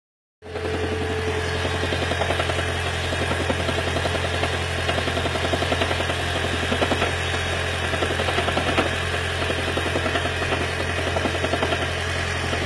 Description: Lexus CT 200h Hybrid Electric Engine 2ZR-FXE Knocking Sound during cold start due to water leakage into Intake Manifold